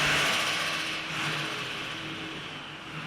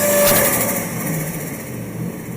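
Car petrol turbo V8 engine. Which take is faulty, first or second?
second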